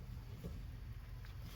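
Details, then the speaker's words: 2010 VW Jetta 2.5, new rear wheel bearing spun by hand, still loose, after old one made a speed-rising whoom noise: quiet, even low hum with no grinding or roughness; normal wheel bearing. "In this situation, see, that's how it's supposed to spin. Quiet. Let me show you. You remember what the old one sounded like? Is the new one, even though it's loose. See how quiet it is?"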